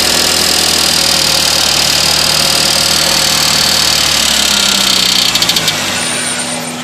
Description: This is my 2000 Toyota Corolla and it started making this ticking sound after the oxygen sensors and the engine coolant temperature sensors were replaced.